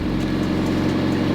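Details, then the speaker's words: Mazda Miata barn find, unstarted for 3 years, idles right after first start once the fuel pump picked up. Good oil pressure, oil unchecked, brakes seized. Steady, even, smooth low hum with no knocks or misses: normal idle. "huh it honestly seems to be running pretty smoothly considering it hasn't run in 3 years"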